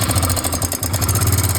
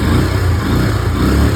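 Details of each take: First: Hero Glamour motorcycle engine at idle; fast, even ticking rattle about three to four per second, timing chain tensioner/adjuster failed so the chain cannot stay tight; tensioner removed. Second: Hero Glamour motorcycle after tightening the failed timing chain adjuster/tensioner: short, steady low thrum with no ticking or rattle; earlier chain noise gone, engine idles cleanly.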